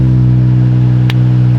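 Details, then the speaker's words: Toyota Soarer JZZ30 with newly installed R154 transmission and ORC twin-disc clutch, in first with clutch released to spin the wheels: steady even low drone, no whine, grinding or clunk; twin-disc clutch sound deemed normal. "Put it in first and get off the clutch. I want to see if the wheels spin. Yup."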